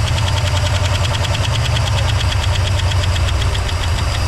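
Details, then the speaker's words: 1964 Oldsmobile 98 four-door hardtop, long-stored and just revived: engine high-idles by itself at a steady, raised speed and won't drop to a normal idle; no antifreeze added yet. "this thing wants to high idle itself which is uh scary"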